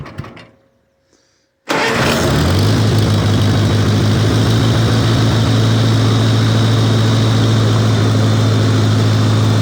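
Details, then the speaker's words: 1953 Farmall Cub tractor, first start since winter plowing season, in neutral: engine catches and a loud steady squeal rides over the idle; hydraulic pump squeal from low/no hydraulic fluid, later fixed by refilling. "yeah I think it's low on hydraulic fluid that didn't sound right"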